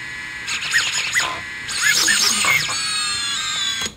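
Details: 6S long-range quadcopter armed on the bench after build and configuration: several thin high motor whines hold steady at idle, no rasp or stutter; motors spinning cleanly.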